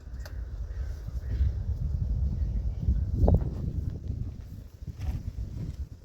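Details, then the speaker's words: 1956 Ford truck, 45,000 original miles, idle over 40 years; newly installed rebuilt starter cranks the engine over evenly at about three pulses a second without firing, normal cranking. "We've installed a new starter. And we're gonna crank it up and see if she does anything."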